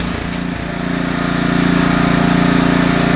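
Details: Husqvarna ST330T/ST332 snowblower that wouldn't start, oil black and smelling of gasoline: small single-cylinder engine runs steady with a quick regular firing beat that settles as it warms; healthy.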